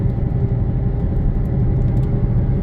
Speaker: oh it gets much worse on the left hear it and it should clear up to I swear this thing it's got to misfire too yeah it clears up a little bit to the right gets louder to the left